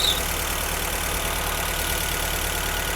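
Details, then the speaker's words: Rare Mercedes W201 2.5-16V manual, parked for years, after repairs, running on a borrowed external 280 fuel tank: steady idle around 1100 rpm (over 2000 before, with idle motor stuck), loud hiss and worn-belt chatter, return flow 2.2 L; healthy. "Let's check what the current RPM is. It's at 110. Originally, when the motor was stuck, it was over 2000. Now it's around 1100."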